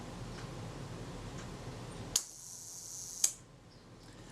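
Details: Zeiss Ikon Contaflex II 35mm SLR during service reassembly, after lubricating a lever surface the main cam tab runs along with molybdenum paste: sharp click, an even high whir of about a second, then a clean closing click; mechanism runs down freely.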